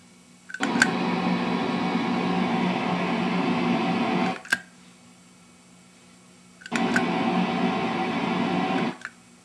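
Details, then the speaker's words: Hughes & Kettner 50 W Switchblade amp, effects loop on in series, slightly louder, ISP Decimator G-string threshold set high: hiss swells then cuts cleanly to near silence as the gate clamps; pedal working as it should. "so it seems that the pedal is working the way it ought to be"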